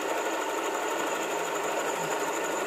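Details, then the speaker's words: Honda Vario 150 scooter after repair of a rough, rattly engine noise, after about 10 minutes of road riding: even, fine mechanical whir with no knocks, rattles or misses; smooth pull-off, normal running. "Untuk tarikan awalnya enak ya, nggak ada nyendat atau berebet, dan responnya juga sangat responsif sekali ya."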